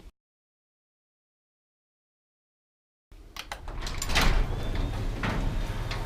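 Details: Garage door, after switching to a belt-driven opener and fitting nylon DuraLift rollers: opens with a low, even rumble and only a few light clacks, much quieter, some noise left from the bowed door.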